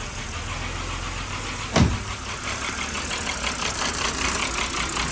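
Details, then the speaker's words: BMW 5 Series, just started after many failed cranks, burning off oil, with codes and a low-coolant warning: idle has an uneven, pulsing beat with one loud thump early on and hunts, not running smoothly. Rough idle. "But finally runs. The car runs. Unfortunately, set this down real quick. It doesn't run the smoothest, which is fine. But it starts."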